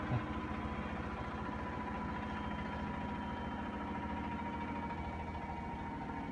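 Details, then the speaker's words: Whirlpool Duet front-load washer winding down and spinning water out: steady low hum, faint even whine, no knocking or grinding. Normal spin cycle. "Takes a while for it to spin the water out because that sensor senses of the water or something like that."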